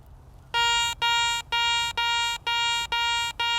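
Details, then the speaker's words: Garrett ACE 400i metal detector, 10 kHz, bench test over an old bronze Roman coin; seven clear high-pitched beeps about two a second, steady clean tone: higher target ID number and higher tone than gold ring or foil. "number higher tone another little washer flat piece junk iron definitely has the low number and the sound of iron"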